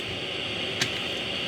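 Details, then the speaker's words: Unmarked full-lead-length PNP germanium transistor from a hamfest tray on a test jig with the amplifier at full gain: steady soft hiss with no popping or crackle, just one small tick; quiet, with a good amount of gain; healthy. "and they're quite quiet compared to some of the other devices I've tested today and they have a good good amount of game"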